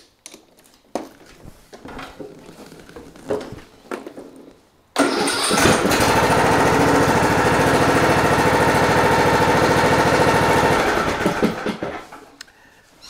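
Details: John Deere D110 lawn tractor with a no-crank fault blamed on a battery lacking cold cranking amps: after silence the engine catches at once, idles steady and even for several seconds, then shuts off; normal start and idle.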